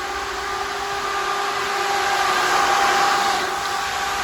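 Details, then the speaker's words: Factory Five Mk4 Cobra replica, first power-up before first start: ECU-controlled electric cooling fan running with the key on, steady even whirring hum with light airy hiss, no rubbing or ticking, blowing the right direction; normal cooling fan operation. "i've hooked the fuel back up to the ecu so when i turn the key now the electric fan should turn on"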